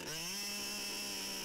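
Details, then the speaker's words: HPI Savage XL Octane nitro engine after leaning the high-end needle 1/24 turn clockwise for more top speed: steady high-pitched buzzing scream at even speed without stumbling, running cleanly on the leaned top-end setting. "You should now see more speed from the tuning change."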